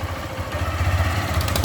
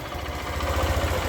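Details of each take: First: Motorcycle single-cylinder engine losing compression when pulling away: revving brings sharp crackling snaps like an exhaust leak and the bike goes weak; the cause is the head gasket leaking from loose studs. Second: Small motorcycle after repair of compression loss and crackling/popping noise when pulling away: now pulls away smoothly with an even low thump, no crackle or popping.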